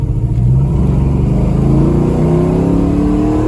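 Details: LS-swapped V8 (previously 305, then 350) with new axle, hard acceleration on road: V8 note climbs steadily and strongly, no misfire, stumble or popping, pulling cleanly; normal acceleration.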